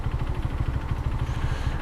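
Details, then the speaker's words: 150cc motorcycle, engine apparently never rebuilt by current or previous owner: heavy fast uneven knocking at idle with deep low thuds, audible to bystanders when stopped; engine knock, cause not confirmed. "ó não sei se dá para ouvir mas assim que eu paro ó o barulho que fica fazendo Tipo quem tá do lado consegue ouvir né mano barulho ma feio mano batão"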